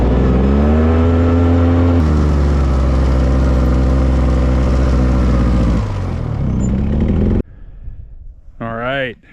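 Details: Old two-stroke Polaris 6x6 after a budget rebuild, driving after refuelling; steady low drone climbing smoothly in pitch as it pulls, no knocks or misses; normal running.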